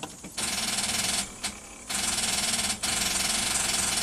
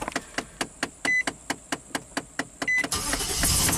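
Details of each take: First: 2005 Nissan Armada V8, no crank after engine bay pressure-washing: rapid starter solenoid clicking with no cranking, battery about 11.9 V, jump start doesn't help; caused by a bad engine ground cable, fixed without parts. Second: 2005 Nissan Armada V8, after repairing the connection to the engine causing no-crank post power-wash: strong, even cranking about two beats a second, no dragging or clicking, then fires; only 30 mV voltage drop, no more weird gauges; starter circuit healthy.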